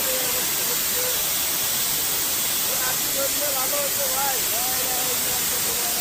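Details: CNG vehicle with a sudden gas leak: loud, steady high-pitched hiss of pressurised gas escaping from the CNG cylinder, with voices shouting over it.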